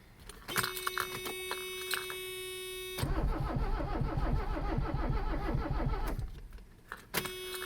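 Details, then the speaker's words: Abandoned Mercedes 300CD diesel after glow-plug cycles: steady starter cranking about three beats a second for three seconds, never firing; cranks but won't start, owner smells partially burnt fuel, sees no leaks and suspects fuel, plans cracking injectors and refilling the filter. "Alright. I'm gonna assume it's the fuel because I smell something partially burnt."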